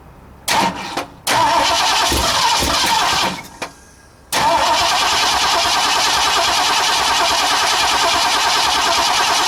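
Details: 1960 Ford F100 with transplanted 351 Windsor, not run in decades, carb needing rebuild, valve covers unbolted: short cranking bursts, then a steady, even V8 idle with no knocks or ticking; normal idle.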